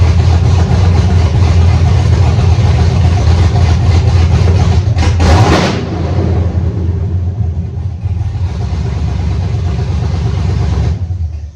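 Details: Cadillac CTS wagon with swapped-in LS V8 and manual conversion, first start after drivetrain install, started by tripping the starter relay with clutch position sensor code present: brief crank, then steady, even idle rumble with no knocks or misses; healthy.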